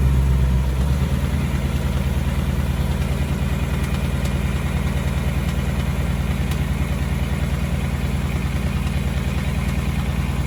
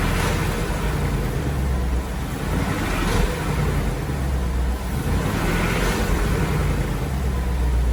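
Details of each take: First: 2018 Ford Mustang GT V8, about 6000 miles, on Mobil 1 10W-30, started and idling: light regular tick about three per second over the idle; the known engine tick, cause not confirmed. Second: 2018 Ford Mustang GT V8, after 15W-50 oil plus Ceratec additive: even quiet idle with a soft steady rumble and no ticking; the earlier engine tick is completely gone.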